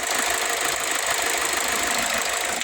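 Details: 2007 Ford Escape at idle: uneven idle with irregular stumbles and shaky beat; one injector sprays weakly and hesitates, causing misfire; injectors seemed fine when tested on 12 V versus the car's 8–9 V.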